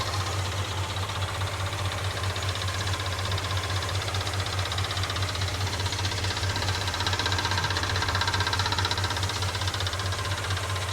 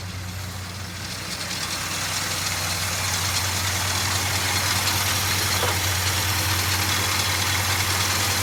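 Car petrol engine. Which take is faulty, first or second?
first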